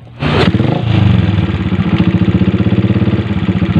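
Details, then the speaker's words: Yamaha Jupiter MX motorcycle with lost compression and a badly worn cylinder block, running after a makeshift partial repair: after a rough start it settles into a hard, regular per-revolution clatter; severe connecting rod knock. "seperti ini suaranya yang parah itu di bagian stang seher teman-teman kelotek kletek kletek kletek kletek kletek"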